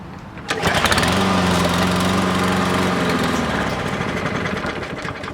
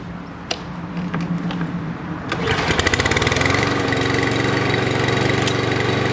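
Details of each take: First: 2017 Toro Recycler lawn mower: catches on the pull, runs evenly about three seconds, then slows and dies; carburetor cleaning is the planned fix. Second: 2017 Toro Recycler lawn mower that started then stalled, after cleaning the gas tank and carburetor and adding fresh gas: fires at once after a few clicks and settles into a steady even buzz, no surging or stalling; carburetor was the problem.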